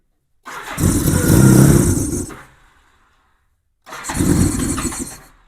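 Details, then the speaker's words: 1987 Honda GL1200 Goldwing, first start in years with a new fully charged battery and revived fuel pump, cold bike in cold weather, choke lever broken: two ~2-second starter churns without firing. Cranks but won't start. "I see I don't have a choke cuz the choke lever is not working. If I did, it would probably make a big difference, but bike's cold and it's cold out here."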